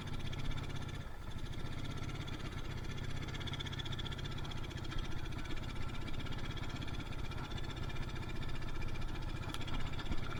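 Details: Yamaha Mio Soul carburetor scooter that won't rev past half throttle and lacks power: deep, muffled, bogging note that stays flat when throttle is opened and even stalls; too much fuel entering the combustion chamber, a rich bog.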